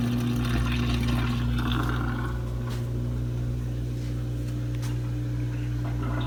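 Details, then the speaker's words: Samsung DW80R5060US dishwasher in diagnostic test mode, test 4 drain test; steady low pump hum with rushing water and some sink gurgle via the dishwasher tailpiece drain; normal drain with sink gurgle. "Test number 4 is draining the water test. And of course the sink gurgles. That means we have a pipe tail."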